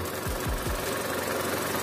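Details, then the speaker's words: Chevrolet Captiva petrol at idle after workshop repair of engine vibration, misfire and radiator coolant loss. Quiet, even hum with no stumble; the engine is now truly smooth and no longer misfiring. "mesin betul-betul halus engak lagi pincang"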